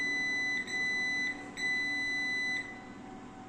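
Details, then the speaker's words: 3 kVA online UPS, powers on by itself but won't switch on, battery indicator blinking, all batteries already replaced: steady high beep about once a second over faint hum; battery fault alarm, possibly from control card or board. "তো এর মূলত সমস্যা হচ্ছে battery fault, যেটা card থেকেও হতে পারে, আবার নোসপ্যাড থেকেও হতে পারে।"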